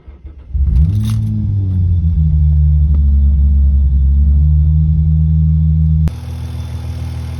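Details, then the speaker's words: Hyundai Tiburon naturally aspirated build, absolute cold start on a newly installed tuned ECU, idling about 5 minutes to relearn. Cranks, flares, then a steady high cold idle with no knocks or misses; much better than before, slight RPM hang noted. "So, the car has been idling for probably about 5 minutes now, and it's idling way better than it was before."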